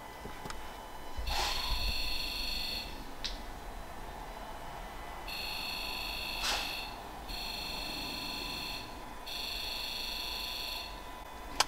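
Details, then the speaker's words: Ford Ranger PX 2.2/3.2 diesel, Forscan injector buzz self-test with one injector disconnected: injectors buzz in quick bursts but a long silent gap breaks the sequence; dead injector, code shows cylinder 2 injector circuit open. "so as you can see after all the injectors fired there was a big pause in before the the rest of them kicked in so obviously that would indicate that we've got a you know one that's not working"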